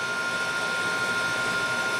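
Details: Masterbilt self-contained cooler, after repairing a leaking condensing coil, replacing the drier, pressure testing and evacuating. Running at -15 evaporator against a -10 setpoint. Steady even hum with a constant high tone from compressor and fan, no knocks or rattles; normal running.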